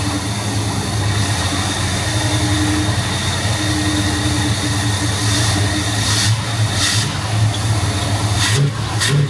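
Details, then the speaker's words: 1971 Pontiac Firebird Formula V8, after distributor ignition work with timing slightly advanced, cold and idling a few minutes, smelling rich: steady, even idle then a couple of throttle blips, smooth regular firing; seems fixed. Normal idle and revving. "It's been sitting here idling for a handful of minutes now. We'll give it a couple revs and see see what happens."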